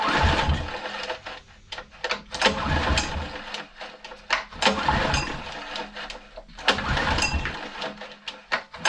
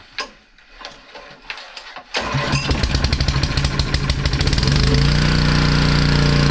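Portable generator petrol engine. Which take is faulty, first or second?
first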